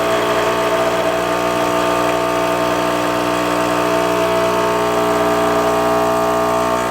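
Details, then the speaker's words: Rancilio Silvia M single-boiler espresso machine after full service, steam off, running cool water into the boiler to cool it: steady even buzzing hum, no rattles or surging, normal vibratory pump running. "you're gonna run it until all the hot water comes out which is about four ounces of water you can see here we're just running cool water into the boiler to cool it"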